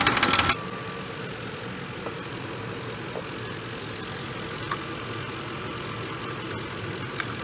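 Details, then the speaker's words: Ford F150 3V V8 after a refresh with new bearings: a brief loud bang at startup, then a quiet, steady, even idle with no knocks or ticking and no warning lights. Normal idle. "it's running good there's no check engine lights there's no lights whatsoever"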